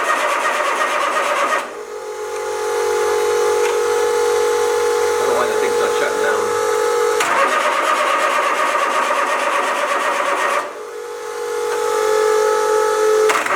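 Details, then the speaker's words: Kubota D722 three-cylinder diesel on a trawler, first firing on all three cylinders after fuel return line work: steady high, hard-held drone with no rise or fall; throttle left at full, engine running away and overrevving. "good way we got that throttle is on full throttle we'll try that again after the mild panic that was run away"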